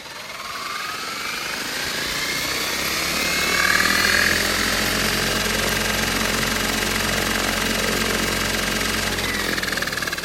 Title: 730E strange noises